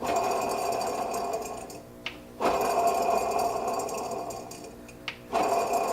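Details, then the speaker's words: Truck AC compressor on its own belt, the only thing it drives, suspected failing: rough whirring grind with a faint squeal as the compressor spins, dying away between turns; grinding noise from worn compressor. "Oh yeah, you can hear that thing just, I don't know if you can hear it."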